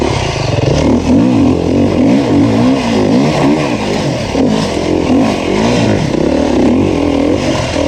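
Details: 2019 Beta 350RR four-stroke enduro bike on a Finnish enduro track, pulling cleanly through repeated rises and falls in revs, crisp and even under load with no rattles; the engine runs healthy.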